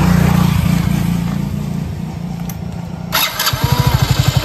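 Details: Motorcycle started on the electric starter after its regulator-rectifier was reconnected: catches after a brief crank and settles into a steady, even single-cylinder thump at idle, no knocks or misses; normal.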